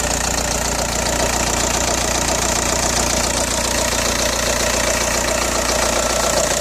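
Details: Audi A4 B6 1.9 TDI AWX diesel at idle: fast, fairly even clatter, two to three knocks a second; rattle began after replacing injector o-rings and copper washers, which cured cold-start smoke, but power seems lost; cause unclear.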